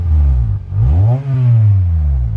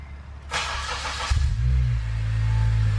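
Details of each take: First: Acura TSX 6-speed manual during restoration: quick revs with a breathy, puffing, leaky exhaust note; exhaust leak blowing out, still to be fixed. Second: Acura TSX 6-speed being restored, after exhaust work to make it quieter; starter crank, catch, brief rev flare, then smooth, even, subdued idle drone with a tone but not deep; normal quiet exhaust.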